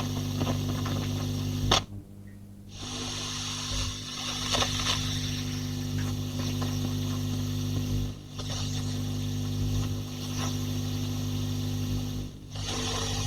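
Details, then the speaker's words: J20 valve amp with power-scaling attenuator, hum and hiss already present at full power: bringing in and turning the attenuator control adds rustling, crackling and changing hum level; dirty control suspected, cleaning planned. "You can hear we get quite a lot of rustling and crackling, changes in hum level. Something not quite going on there."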